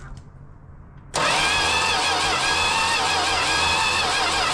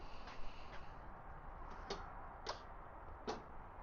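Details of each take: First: Dodge Demon six-cylinder with a newly installed starter, cranked at night with no plug wires fitted yet: a steady, strong starter whir of about four seconds with an even cranking rhythm and no grinding or clicking, so normal cranking. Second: Six-cylinder muscle-car-looking car, likely a slant six: only single clicks at each key turn with no cranking; the starter relay engages but the starter motor does nothing. Owner wonders if slant six starters differ.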